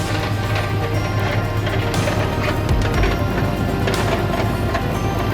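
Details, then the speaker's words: Truck idling; loose, uneven metallic clatter over the exhaust note, first suspected heat shield or loose hanger, but it is broken catalytic converter honeycomb pieces clapping inside the attached muffler. "You know what that sounds like? Broken parts of your catalytic converter inside of your muffler."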